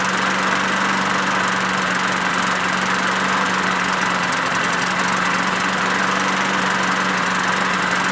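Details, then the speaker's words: Craftsman push mower with a Briggs 6.75 Quantum auto-choke engine, after winter storage and before a carb swap: a steady but uneven, blubbery drone, running rich as if stuck on choke; a vacuum leak at the primer hole to the Welch plug is suspected. "honestly that sounds just like that one doesn't sound very good what gives this one runs much better"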